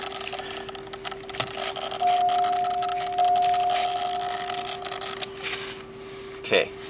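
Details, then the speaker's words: 1993 Cadillac Allante, hot, with a low oil pressure warning flashing: a relay chatters with rapid dry ticking about four clicks a second, and the ticking stops when it is pulled. This relay is the culprit; its circuit is not yet identified. "let me figure out which relay it is oh it's one of these this one right [Music] here let's see what happens when we pull it out"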